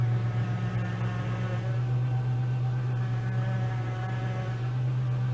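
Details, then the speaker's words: Chevy 3400 engine running with a power steering pump whine, faint higher tones over a steady low drone; the owner suspects low fluid and says the pump may need replacing if topping up doesn't help, and a water pump also needs doing. "The noise you heard was from the power steering pump, which is right here is where you fill it up at."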